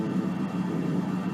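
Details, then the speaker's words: ARP/Solina String Ensemble (revision two) in for repair with the bass voices engaged: no notes, just a steady low hum with buzzy hiss as notes decay; unwanted noise in bass and contrabass voices. "the reason that this is in for repair is because the base voices uh have some noise so i engaged that and it makes a makes noise"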